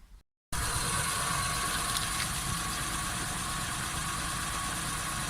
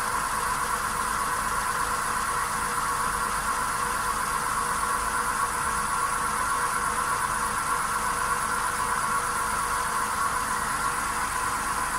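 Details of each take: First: Volkswagen Polo Sedan with the raised left front wheel spinning, engine running; smooth, with no hum or growl from the hub, unlike the right front bearing found faulty at inspection: healthy wheel bearing. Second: Right front wheel bearing on a VW Polo Sedan, failed at inspection, heard with the raised front wheel spinning: a steady even hum with a faint whine at one pitch; stock Kama tyres also drone. Confirmed worn, needs replacement (SKF VKBA 3569).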